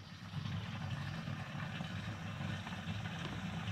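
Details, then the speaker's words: BMW E36 (LS swap), 109,000 miles, in-tank fuel pump jumped at the fuse with key on to drain 6-year-old gas, about half a tank: low, steady electric hum with faint rushing flow; the pump runs and delivers fuel. "so i just jumped it over and now when i turn the key you can see i have about half tank of gas i also got 109 000 miles but as you can see i am pumping fuel"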